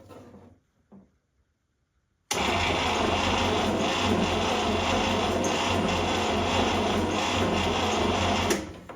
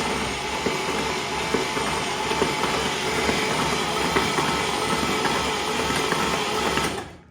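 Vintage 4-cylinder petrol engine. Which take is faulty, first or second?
first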